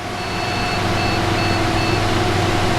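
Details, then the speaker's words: Crypto mining rig booting Hive OS from an 8 GB boot drive, restarted after power-down: POST beep code of one long and three short beeps over steady fan hum; suspected video card (GPU) error, with GPU power connectors reportedly fine and BIOS not visible on screen. "We're going to hear the beeps here in a minute, and it's going to be one short and or excuse me, one long and 3 short, which is saying something to do with the GPU, right?"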